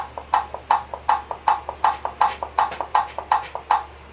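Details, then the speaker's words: Brastemp/Consul washer gearbox mechanism on the bench, crisp clicks alternating loud and soft as the pulley is rocked by hand; this is normal pulley play. "esse barulho é normal tá esse barulho aqui é o barulho da polia batendo"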